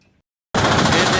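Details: LG 7.5-ton standing air conditioner, outdoor unit with two fans: after a quiet gap it starts into a loud, fast, harsh rattling clatter; condenser fan striking from a broken blade, fixed by fitting a second-hand condenser motor and fan, then ran smooth.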